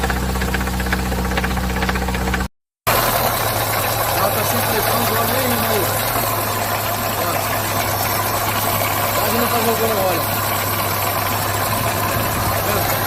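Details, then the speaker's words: Chevrolet (GM) engine at idle with a hard, even bottom-end knock from loss of oil pressure. The oil pump pickup was suspected clogged, and broken metal pieces were found inside the engine. "isso aqui é pedaço por isso que tá aquela barulheira toda entendeu"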